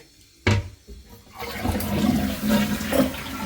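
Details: Toilet after fill valve replacement: strong flush gush settling into a steady even refill hiss, no squeal or hum; fill valve working, though a separate leak under the house was still hissing.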